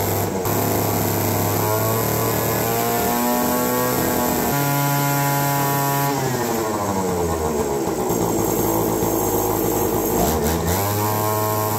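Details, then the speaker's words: APC mini chopper small two-stroke, garage sale find, first run after control module reconnected; revs hunt and sag unevenly instead of holding steady; runs rough, owner suspects carburettor needs a rebuild kit. "I think we get a carb kit for this thing it'll be rocking"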